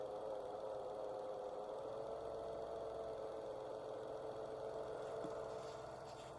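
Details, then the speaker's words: Dacia/Renault 0.9 Turbo petrol, 155,000 km, idling right after NGK Laser Iridium spark plug replacement for hard cold-morning cranking: steady, even hum with no misses or stumbles; runs smoothly. "So this was the test. The engine starts. everything runs smoothly."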